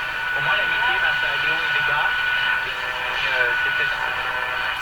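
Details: General Electric KL60 tube radio during broadcast band alignment: station comes in steady with voices over light hiss, no crackle or fading; clear AM reception.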